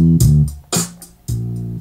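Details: NAD 7020 vintage receiver that had very low, distorted audio. The preamp stages were missing supply voltages; this was fixed with one capacitor and one transistor. Clear, full bass notes with clean attack and no hiss or crackle. The output is now clean.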